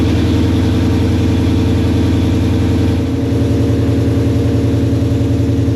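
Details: Foxbody restomod with Gen 2 Coyote V8 after flashing the base tune: deep even burble, steady low beat with brief blip, settling to smooth idle; previous stumble appears fixed.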